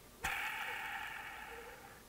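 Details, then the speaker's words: Lawnmower electric motor armature, commutator showing burning, spun by hand: whirs down with a dry, gritty rasp; the end bearing is rough and needs replacing. "this bearing at the end here i don't know if you can hear it listen"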